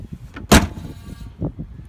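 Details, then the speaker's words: 1984–96 Jeep Cherokee hatch after rattle fix: one sharp, solid clunk as the hatch shuts, with a crisp spring-loaded snap and no rattle after; the latch is catching properly. "as you can see the latch is fine when you go to shut this you should hear like a springloaded"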